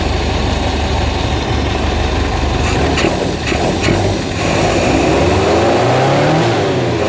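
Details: Suzuki Zebra 1.3 carburetted engine, hard to start, carb gummed with glue; float needle set too tight causing fuel starvation. Steady, fairly fast idle with smooth hum, then revs dip and settle lower as the idle screw is turned down: high idle.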